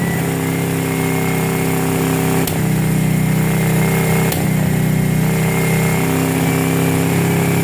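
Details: 2006 Kawasaki Brute Force 650 quad, warm, after resetting tight front valves (0.008 and 0.004 intake): idle mostly holds with two sharp pops; front carb backfiring, fixed by clearing the extra-fine carburetor holes.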